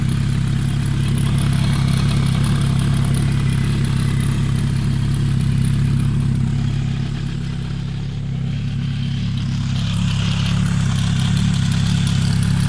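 Cold four-cylinder idle with a steady clatter of roughly three per second underneath, an odd mechanical noise with no clear source.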